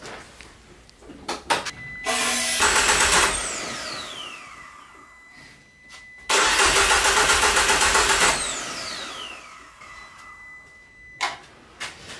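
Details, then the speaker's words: Peugeot 205 GTI engine-swap project with an immobilizer problem and loose system wires. Two bursts of starter cranking with even compression beats about four a second, never catching. It cranks fine but is suspected to have no ignition spark, so no start. "je pense qu'il n'y a pas d'allumage et là commence une longue traversée du désert tout est branché ça semble fonctionner normalement mais impossible de l'entendre tousser"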